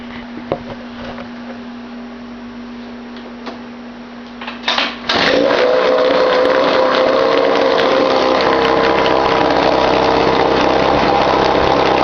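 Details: 1953 Mercury Mark 15 outboard on a test barrel in cold weather, after flooding was fixed by correcting carburetor float height: catches after a few pulls and settles into a fast, steady buzz with no stumbling; normal idle.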